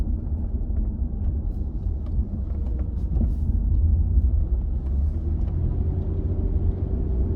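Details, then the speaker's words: Holden VZ Adventra test drive after tailshaft center bearing replacement, low speed around the block then braking: only low smooth road rumble, no clunks, whines or vibration; former heavy-braking noise gone, tailshaft running quietly. "quiet though we'll hit the brakes see what happens well it doesn't make that noise anymore that would have made a horrible noise on heavy braking that used to do"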